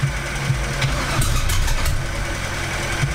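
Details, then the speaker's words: Nitrous LS-swapped 4.8 V8 S10 truck restarted after hydro-locking with water, plugs pulled and water cleared; heavy, uneven idle stumbling and surging, missing on some cylinders, possibly fouled plugs needing clearing; owner fears rod damage; rough running. "doesn't sound very good probably gotta clear off some plugs"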